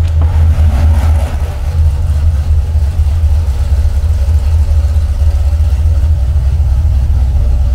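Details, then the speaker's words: Freshly built Mopar 383 V8 for a '68 Dodge D200 on the dyno, listened to after its first pull to high RPM with timing at 34 degrees: deep even rumble holds steady, no valvetrain ticking or tapping; sounds healthy. "Let me hear the engine now, because you know that's the first time I took it this high. I want to make sure everything's good. Let me hear if everything's good, valve train noises or anything."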